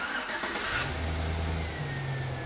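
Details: After starter clicking then no crank, starting system repaired: brief crank, engine catches and settles into steady, even idle with clean low hum while the alternator charges the drained battery; starts and runs normally.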